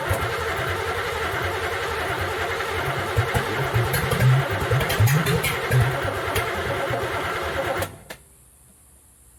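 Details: Third-gen street car V8 with new third set of spark plug wires and EGR block-off plate, just refueled: catches and runs unevenly with stumbling pulses for several seconds, then dies. Timing uncertain; carburetor has no fuel pressure, fueling suspected.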